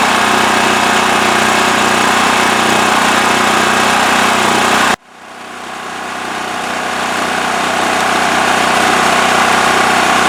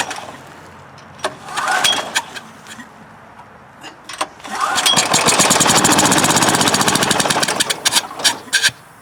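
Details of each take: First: Westinghouse WH7000EC 7000 W electric-start generator with plugged spark arrestor removed from exhaust. Steady, even drone at constant speed, no hunting, surging or knocking; normal idle. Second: Westinghouse generator with dirty carburetor, plugged exhaust and dirty fuel, on choke after starting fluid: fires in ragged popping bursts, catches a few seconds, sputters and dies, air hissing from muffler; won't keep running.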